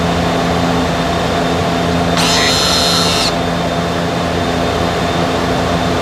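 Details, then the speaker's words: 2015–2017 Subaru Legacy electric parking brake in scan-tool brake maintenance mode before pad install, microphone at the caliper: short high whir of about a second over a steady hum as the motor retracts the piston; normal. "Let's do it again. Now that's the sound you're looking for, okay? That's the sound you're looking for."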